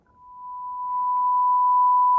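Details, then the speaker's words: McIntosh MC 2105 amplifier after contact cleaner was worked into the speaker selector switch: a pure, steady tone of about 1 kHz plays on the left and right channels with no distortion, buzz or crackle, even when tapped. Clean amplifier output. "Ah, much better. Much better. And here's our right channel. Much better. So there you go. Let's see now if I tap this, if I'm hearing any noise. Nothing. Okay, so I think that cleared that up."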